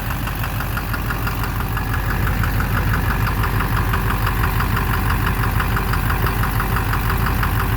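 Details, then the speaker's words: 2009 Silverado 3500 Duramax LMM diesel dually, 59,900 miles, idling: steady knock about twice a second, loudest low down near the oil pan; owner suspects bottom end. Oil analysis shows no abnormal wear; intermittent since 57,500 miles. "Yeah, it's quieter. It's right in the bottom end. I think it's in the bottom end."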